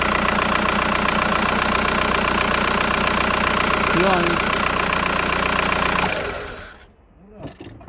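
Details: VW Golf 4 1.9 TDI 110 hp: diesel shakes roughly with an uneven beat about three per second as revs fall after a blip, also at stops like traffic lights; owner unsure whether injector or flywheel is the cause.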